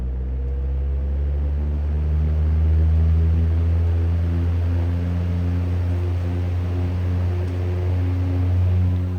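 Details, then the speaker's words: Vintage 1950 GE 12-inch Vortalex 3-speed oscillating table fan, model FM12V43, on high: steady low motor hum with soft rotating drone, smooth with no ticks or rubbing, moving a lot of air; normal. "That's a lot air. Moving a lot of air still."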